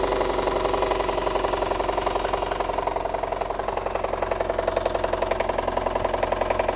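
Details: VAZ 2114 engine at idle: sharp regular knock about four per second; connecting rod bearings of cylinders 2, 3 and 4 spun/worn, plus burnt valves.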